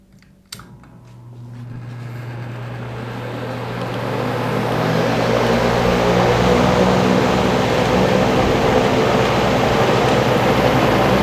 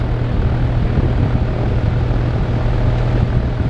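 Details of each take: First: Dayton/Grainger 2MA11 24" ball-bearing box fan on low speed with the factory capacitor, measured right at the fan: a loud, steady rush of air at about 70–73 dB and roughly 1250 rpm, far too fast and loud for low speed. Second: Dayton 2MA11 24-inch ball-bearing fan with its 20 µF capacitor swapped for 8 µF, slowing it to about 900 rpm; a smooth airy whoosh over a soft hum, down from about 73 dB to the mid 50s: normal reduced low-speed running.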